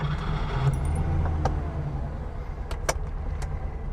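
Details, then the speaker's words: Classic Porsche 911 with 901 dog-leg gearbox, 1,443 km on the odometer: a quick, even patter settles into a steady flat-six idle, likened to a sewing machine. Keys jingle over it; it sounds healthy. "Sounds like a Singer sewing machine. Almost perfect."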